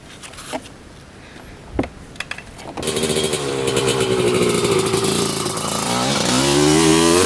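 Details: 1995 Honda CR250 two-stroke after fitting a new spark plug (old one was dry): revs sag and hesitate mid-pull; still bogging under throttle, owner suspects running lean, unconfirmed.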